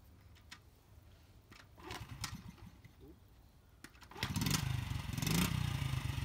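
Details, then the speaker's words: 1996 Honda small single-cylinder dirt bike, cold engine, stock baffle, cleaned: a few soft cranking pulls, then it fires, blips up and drops to a very quiet idle, almost like an electric bike; normal start and rev. "so that was a rev and this is idle speed right here really quiet you can hardly hear it's almost like a electric bike"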